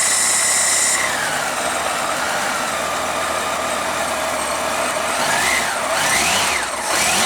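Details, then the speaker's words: Honda GL1500 Goldwing after carburetor clean and accelerator pump repair, cold start in the low 30s °F with choke; even, steady idle with no misses over hissy background; normal cold idle. "well when the temperature is in the low 30s I guess it would need a little bit of warm up but it certainly should be drivable without having to sit here for 10"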